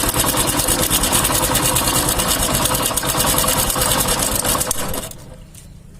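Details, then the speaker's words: Hero motorcycle idling: a busy chattering "khich khich" tick of about three per second from the timing chain, despite a newly fitted chain. "तो यह आवाज़ मैं आपको ये सुना दिया, ये खिच खिच खिच खिच की आवाज़ आ रही है। टाइमिंग चेन नया है लेकिन फिर भी ये आवाज़ आ रहा है।"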